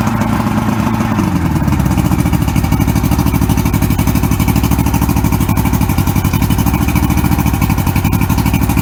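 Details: 1994 Suzuki 115 oil-injected two-stroke outboard, water on, with more Sea Foam added to a full tank: a crisp, regular putter holding a steady speed with no stumbling, popping or dying out; running cleanly.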